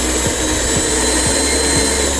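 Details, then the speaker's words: DTF printer Allnew Gen 3, vacuum table fan switched on during quality-control testing: steady, even high whirring hum with no rubbing or rattle over faint background music. Vacuum fan running normally. "Nah di sini ada tombol vakum atau potensi vakum untuk menyalakan vakumnya ini ya. berfungsi ya. Untuk suaranya terdengar ada suara kipas yang berbunyi."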